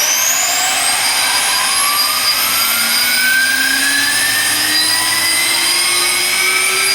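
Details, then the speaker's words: Fischer Dottikon 7" x 59" center hole grinding machine, spindle spinning up unloaded: loud airy hiss with a clean whine climbing steadily in pitch, smooth, no rattle or rubbing; spindle runs normally. "It's not that loud. You'll hear it. That comes up pretty good."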